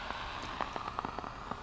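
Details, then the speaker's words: LM1875 amplifier chip run at open-loop, very high gain: irregular crackling pops over a steady hiss, which is burst (popcorn) noise from a defective IC. "now can you hear that crackling noise that's called burst noise or popcorn"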